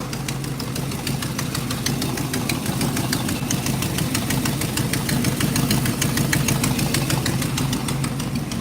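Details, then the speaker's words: 1963 Chevrolet Impala at idle, heard through a screwdriver held to the engine: fast, light tick about three per second on one side, worse than the other side. Possibly a hydraulic lifter. "it's ticking on this side but it ain't ticking as bad as on only side it could be a hydraulic lifter plug"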